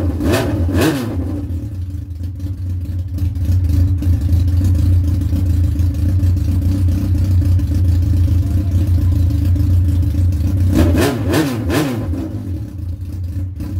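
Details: Yamaha R1 engine after knocking repair, first run with temporary wiring and no switch or gauge yet: steady strong running with a couple of clean throttle blips, no knock or rattle; sounds healthy. Normal running.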